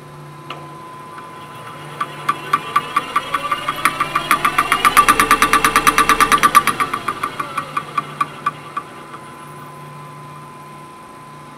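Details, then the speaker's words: Welded displacement hydraulic cylinder (no piston; welded ring on rod, seals only in head), cut open and resealed, being tested: a sharp knock about three times a second from inside the cylinder. Cause unconfirmed; owner suspects something slapping inside. "so something internal of the cylinder is making that knock"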